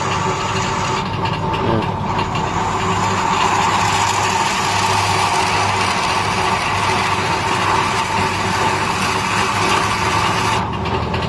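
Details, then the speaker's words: Homemade lathe driven by a half-HP motor, cutting steel with a hand-held file. Steady motor hum with scraping cutting noise; speed holds stable under load, no sag or surge, running fine. "Dan ini putarannya tetap stabil enggak enggak naik turun gitu. Karena memang saya pakai dinamonya setengah PK lumayan besar itu."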